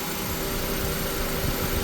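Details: 2001 Honda Civic after fixing idle surging: stuck idle air control valve cleaned with brake cleaner and refitted; short steady drone, idle even and settled without surging.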